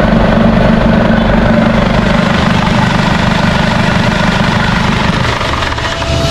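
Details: Isuzu D-Max 4GH1 diesel, converted from semi-electronic to mechanical injection, at idle after a new injection pump was fitted to cure hard starting. An even, regular clatter of about 3.5 beats per second with no misses or stumbles; normal idle.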